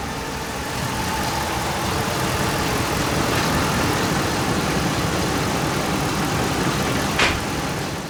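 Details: 2007 Dodge Ram 5.7 HEMI V8 after replacing leaking water pump, warming up while still purging air from coolant; smooth steady idle with even low rumble, no ticking or knocking; healthy.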